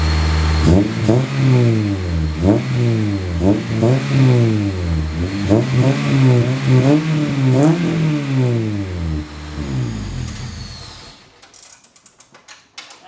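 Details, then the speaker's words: K20-swapped Honda CRX four-cylinder after muffler install to quiet it down: revs up and down repeatedly with deep smooth exhaust note, no rattles, then shuts off; way quieter than before with a good tone. "Well, it's definitely way quieter than it was before, and it has a good tone to it."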